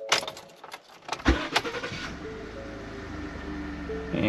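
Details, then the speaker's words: 2015 Ford F-150 2.7L EcoBoost after replacing bad PCM power relay (relay 66) with donor relay: keys rattle, engine fires promptly and settles into smooth, even idle; no-start fixed. "the truck just fired right up so all the issue was was a bad relay for the PCN"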